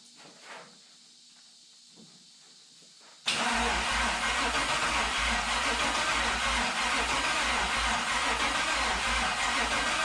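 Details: 1972 Toyota FJ40 Land Cruiser with swapped-in LS 4.8L V8, first start attempt: quiet clicks then fast even cranking churn, never catches. Only two primaries warm, spark present elsewhere; stuck fuel injectors mean only two cylinders firing.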